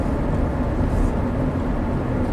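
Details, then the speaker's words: 2009 Chevy Traverse V6 GDI, 190,000 miles, on a test drive after topping up a very low oil level, which had caused misfire and VVT codes: low, even rumble with no clattering; cam variance under two degrees. "let's see how she drives nice and smooth as expected let's see the variance staying below you know two degrees"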